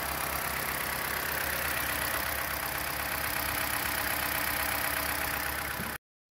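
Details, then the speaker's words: 2021 Toyota Corolla right after an oil change with 0W-16, about 4.9 quarts: smooth, even idle with a steady hum and no knocks or ticks; normal idle. "let me start it up real quick cut my phone storage about my storage is about low so it sounds good"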